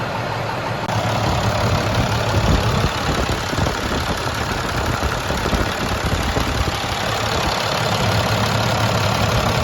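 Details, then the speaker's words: Rebuilt International 466E diesel truck engine at first start after rebuild, after it had died once and been restarted; even, steady idle rumble with no knocks or misses, no oil or water leaks seen, engine sounds healthy. "but everything sounds great i mean to me that engine sounds very very nice"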